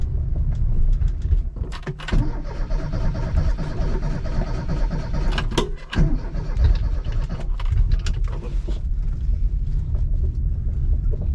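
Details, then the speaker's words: Classic Mini John Cooper conversion with newly fitted twin SU carburetors, first start: slow lumpy idle with uneven low beats and near-stall dips; idle too low. "Oh, idle's a bit low."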